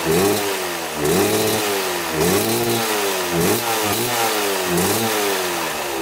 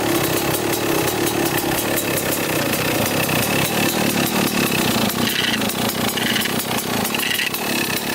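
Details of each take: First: 1995 Kawasaki KX250 two-stroke dirt bike after carburetor cleaning and big carburetor adjustment: crisp steady idle, clean pickup on throttle blips, smoking from exhaust; running well. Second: 1995 Kawasaki KX250 two-stroke dirt bike: raspy idle with harsh metallic scrape when clutch is pulled; punched-in side cover likely nicked by clutch screw, cover may need replacing or repair.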